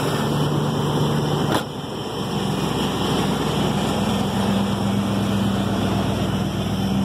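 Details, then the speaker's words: 1996 Ford Bronco V8 after repair, now idling at 1000 rpm (was under 1000): steady even low hum with no buzzing or knocking. "okay so I just finished fixing my truck it runs good now it idle it idles at at 1000 rpms now"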